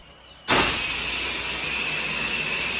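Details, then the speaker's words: Pressure-washing soft-wash downstream setup with chemical switched on by remote: a steady airy hiss as chemical flows through the line to the gun, normal before chemical comes out. "If you're used to downstreaming, you can hear it coming through the line. You get a little hissing sound."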